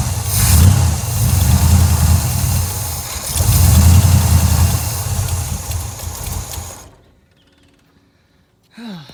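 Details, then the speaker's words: 1986 Chevy Camaro, 350 small block with big cam: catches and runs rough a few seconds, surges once more, then fades and dies; stalls after starting, carburetor adjustment suspected. "Suddenly the carburetor needs to be adjusted, I think, because watch, I'll try to crank it up. You'll crank up and then it will just stall out."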